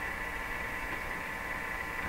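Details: Viking EMU61 tube radio: steady low mains hum with static hiss from the speaker during troubleshooting; a signal tracer at the volume control shows no hum, so the hum is not in the radio output but enters the audio stage. Shielded audio wiring is suspected.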